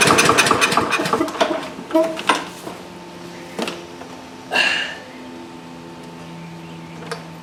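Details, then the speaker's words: Two-year-old DeWalt mower with Briggs & Stratton engine, stuck choke freed and closing properly: a few rasping pull-cord strokes, weak firing that never catches; still won't start, suspected no fuel. "Well, even with the choke plate closed as it should be, it's still not starting. That's right. Let's delve a little deeper. Our next question is, is it getting fuel?"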